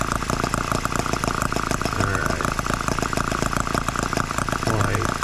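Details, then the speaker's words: Microcosm H74 model engine after piston ring replacement for low compression, run nearly two tanks of fuel and heat-cycled several times: quick, crisp firing beats over a steady buzzy drone, even rhythm; normal running. "We've ran well nearly two tanks of fuel through it and started up cool it off start it up let it cool off and we've heat cycled it several times"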